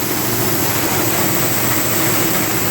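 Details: CompAir mobile diesel compressor revived after starter repair, fuel system bled: steady idle clatter with coarse, uneven edge under loud fan hiss; running rough, coolant leaking; injectors suspected and to be removed for rebuild.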